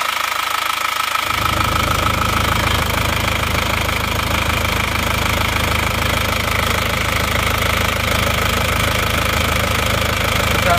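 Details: Panther diesel engine after rebuild, with cylinder liners replaced new rather than reused, on its first start: fires at once and holds a steady, even diesel clatter near 160 beats a minute, a sound idle.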